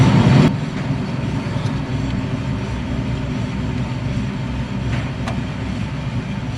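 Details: Steady low growl and rumble from a spinning rear wheel of a truck, owner heard an ugly noise from the rear; worn rear wheel bearing found, other bearings sound normal.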